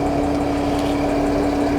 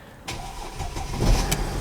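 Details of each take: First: 2008 Mercedes ML 320 CDI that cranked but would not start, with an undersized battery; diesel idling under a loud, steady fan roar with a constant hum; Speedtronic warning shown; the fan is running flat out, cause unknown; excessive cooling fan speed. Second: 2008 Mercedes ML320 CDI that cranked but would not start, plastic smell complaint, found with a wrong, undersized battery that was being charged: a brief crank, then it catches and settles into a steady low diesel rumble.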